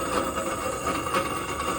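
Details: York package unit evaporator blower motor run with the blower wheel mechanically detached gives a steady harsh rumble with a thin ringing tone; motor bearings at fault, motor to be replaced, wheel appears balanced.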